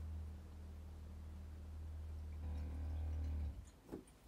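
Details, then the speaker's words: RV trailer water pump after adding an accumulator, a vibration-dampening kit and hose insulation: a low, even hum runs a few seconds after the tap is shut, then stops cleanly with no rattle or chatter. Normal, quiet water pump operation. "I'll turn it off and then the pump will be going just for a little bit longer you'll see how quiet it is"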